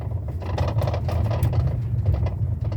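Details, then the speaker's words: 2013 Toyota Avalon on very rough road: loose, irregular rattling and knocking bursts over road rumble from a worn electric power steering column damper (45254-28040), not the undercarriage. "can you hear that rling [Music] noise can you hear that noise under the vehicle uh sorry the noise coming from the vehicle is very uncomfortable"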